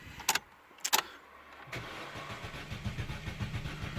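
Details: 2006 Astra 1.4 petrol that quit in the shop during an ABS fault diagnosis, no fuel pump heard: a couple of clicks, then the starter turns the engine over evenly but it never catches; crank, no start.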